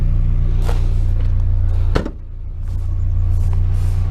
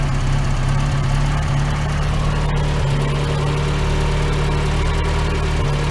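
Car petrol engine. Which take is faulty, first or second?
second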